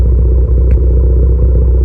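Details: Tuned car with PRL SRI race MAF, PRL intercooler, 27Won downpipe/frontpipe, Greddy Supreme exhaust, codes P0300, P0301, P0304: steady deep engine drone with a couple of faint sharp pops; possible misfires, unconfirmed.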